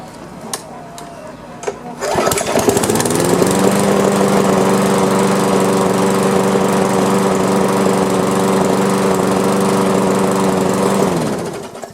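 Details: Old Briggs & Stratton lawn mower that would not start, after repair: catches after a couple of pulls and settles into a smooth, steady, even-note run; healthy engine.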